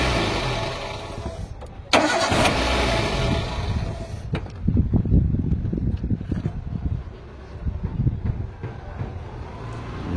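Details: Maruti Swift with a starting problem traced to a missing earth to the starter motor, fixed with a direct earth line. Short cranking, then it catches and settles from uneven to steady idle. Normal start.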